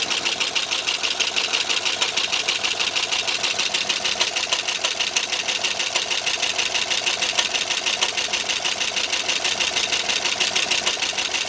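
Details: 2009 Pontiac G8 GT V8 at idle, bought used at 121,000 miles with cam and DOD delete, under 1,000 miles driven since: loud, fast, even ticking about three per second, likely lifter/valvetrain noise; owner suspects improper DOD delete.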